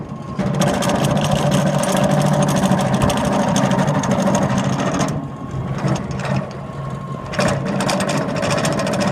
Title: loose belts or bad bearings ???????